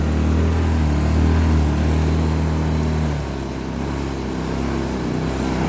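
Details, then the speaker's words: Blackridge 800 W inverter generator, possibly a 2014 model, sat unused in a shed, on old fuel: steady drone that sags and hunts without settling; fuel-starved surging. "okay so the fuels are definitely an issue as you can hear it surged and carrying on"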